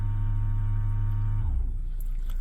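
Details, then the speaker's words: 2012 Ford Edge Limited after new front rotors and pads, rear pads, pedal sinking to floor, scan-tool ABS bleed: steady low pump hum about 1.5 seconds then stops; ABS pump operating normally, procedure successful. "press and hold the pedal again press ok and it pushes out the air again release the brake pedal press to continue and you hear it again it's successful"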